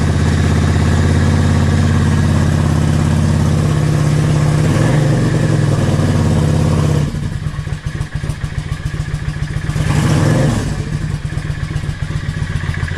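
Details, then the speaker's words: Yamaha XVS650 Dragstar/V-Star 650 V-twin, warm, after a pilot jet change from Mikuni #20 to #22.5 (120 main, needle 4th slot, slide spring cut 2 coils, mixture screw 3.5 turns out, K&N filter): steady, even tick-over near the manual's 1000 rpm, with a brief blip; clean idle. "Set it so it's ticking over nicely. It's about 1000 RPM in the owner's manual."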